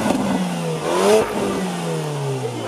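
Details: Porsche Macan under hard acceleration: smooth engine note rising cleanly in pitch as throttle opens, then easing off; healthy exhaust note.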